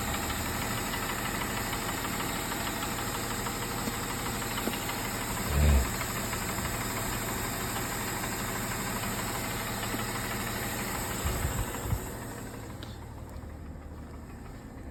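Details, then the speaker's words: Mercedes E350 4Matic, 3.5 V6 M272: after start idle about 900 rpm and quiet, then as it warms revs drop to 600–700 rpm and a loose, irregular rattling knock develops; piston slap from scored cylinders. "Вот уже стуки начинают появляться. Вот обороты падают. Вот уже бряканье начинается."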